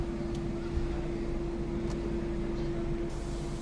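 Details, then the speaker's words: 2005 Honda Civic petrol engine after fuel pump repair, which had been misfiring, jerking and stalling in reverse: idles evenly and stable with AC switched on, steady hum and a constant faint whine. "अब करते हैं AC on AC on हो गया ये और ये stable है माशाल्लाह"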